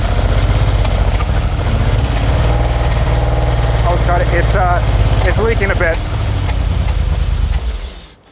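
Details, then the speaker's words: Rare 1970s Aston Martin V8 barn find, first start after priming carbs with fuel pump on and choke: deep idle stumbles and pops unevenly, leaking slightly; spluttering, probably not getting enough fuel. "okay it's leaking a little bit but dude that thing runs we just thought we we we just thought we'd kill it out of safety it's obviously spluttering and popping cuz it's probably not delivering as much fuel as it wants given we know it's thirst"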